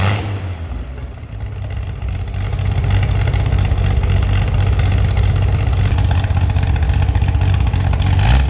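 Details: Chevy SS restoration engine with a non-original cam, running after the fuel level was lowered: even low idle swells smoothly into crisp revs and drops back cleanly, no misses or knocks; healthy, responsive.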